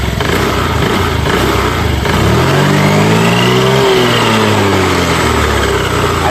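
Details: Honda Activa 6G BS6 scooter after repair of a jammed wheel and odd noise, belt and clutch rollers refitted: self-starts first press, climbs smoothly from idle and eases back, no grinding, scraping or knocking from the belt drive. The earlier noise is gone.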